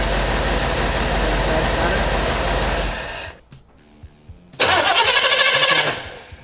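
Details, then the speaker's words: 1958 Chevrolet Impala on a points distributor after installing a Go Spark CDI ignition box, ballast resistor bypassed for 12 V; wouldn't start on points even with a good battery: cranks, catches promptly, runs strong and even without misfire; normal start. "But with the CDI, it starts, it fires up, it's got all the power it needs."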